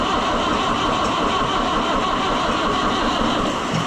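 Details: Oliver 1365 (Fiat 640) diesel tractor after a fuel filter leak repair, battery reading 12.3 V, with air in the fuel system. Steady starter cranking goes on without ever catching: long cranking, no start.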